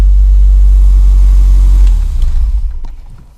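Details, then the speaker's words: Renault 5 GT Turbo revving with a deep, even roar and dropping cleanly back, no misfire, after mice chewed fuel and boost lines; VE table checked over Bluetooth, now running healthy. "oh back to normal again so yeah it's really sweet now happy days mate"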